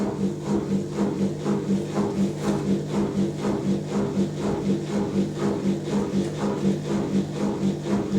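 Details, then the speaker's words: Zanussi Electrolux Aquacycle 1200 ZWF1221W washing machine on a 900 spin after new motor carbon brushes were fitted: steady droning whine with a soft pulse about twice a second. Very whiny because the new brushes are bedding in. "wow very whiny cuz the new brush is the coffee beding in"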